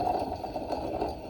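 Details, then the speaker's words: Alternator removed from flood-damaged Porsche 968 cabriolet, spun by hand off the car: dry, gritty rumble rising and fading, rough rather than free spin; not what an alternator should sound like. "That's not what an alternator should sound like."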